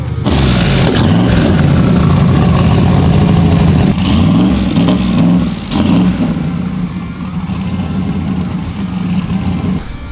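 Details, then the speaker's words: Turbo V8 street car that made 10 psi boost without issue the night before, after throttle pedal change and fuel pressure lowered to 40 psi: pops and stumbles unevenly under throttle; rough running, fuel pressure suspected too low. "I put it on the training brake last night made 10 pounds of boost no issue now it's running half stupid what the hell happened here"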